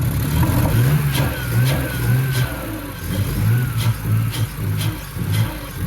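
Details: BMW E46 with a replacement 2.5-litre six after the original had zero compression; just started after priming: catches and revs up and down smoothly with a clean, even note. Normal running, minor quirks noted.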